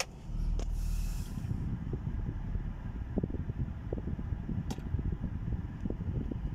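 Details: BMW E90 with N46 engine, running with a low rumble and an irregular, stumbling pulse plus occasional sharper puffs instead of an even beat. Engine misfire.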